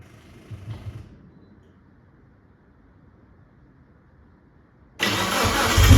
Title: 1996 Mitsubishi Lancer Evolution IV - no start cuts out rough running